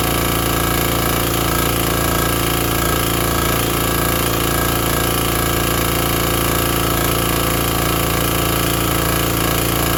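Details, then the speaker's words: Vintage Briggs & Stratton 5 hp generator, free unit, first start after inspection, running a shop vacuum: loud even engine beat with no misses or surging; healthy, running normally. "I mean, that thing fired right up. ran the little shop vacuum. No problem."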